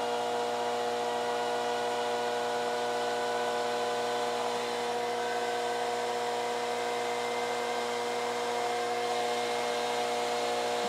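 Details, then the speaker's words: 1986 Carver PM-350 power amplifier after adding a 12 V fan controller and insulating-sheet ducting: steady smooth whir with constant airy tone, no rattle or ticking; normal cooling fan ramping to high speed. "okay fans's wrapping up can you hear the fan coming up"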